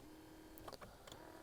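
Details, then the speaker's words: BMW 760Li 7 Series electric seat thigh support (bolster) adjuster: faint steady motor hum with a couple of clicks and no load change; the motor runs but moves nothing, as the drive part is broken, a common fault. "broken. You can hear the motor working, but it does nothing. Now, I had a look online and it turns out that this is a fairly common problem, certainly on the 5 Series and so on and so forth."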